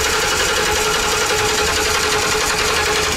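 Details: 2012 Ford E350 Econoline van with a new fuel pump but still no fuel pressure; steady, even starter churn with a faint whine and no firing: crank no start, with an immobilizer code stored.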